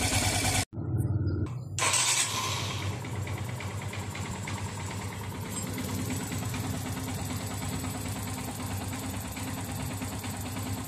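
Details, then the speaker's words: Yamaha FZS V3 single-cylinder engine blips, then settles into a smooth even idle with no ticking or rattle after timing chain replacement and timing setting; before the repair it made a tractor-like clattering noise. "उबाट बाट अहिले पहिला जस्तो नइज पनि छैन र टङटङ र टुङटुङ पनि गरे्या छैन।"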